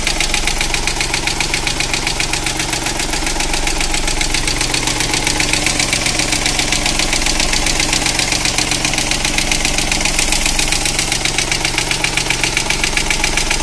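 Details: Opel Corsa 1.0/1.2 engine at idle after a hydraulic lifter additive and a drive brought no improvement: fast, sharp ticking steadily over the idle at a constant rate; valvetrain tick, cause unconfirmed.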